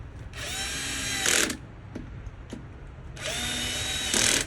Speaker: And y'all hear that? The drill slipping. That's preventing it from stripping down and making it too tight, because these are plastic parts.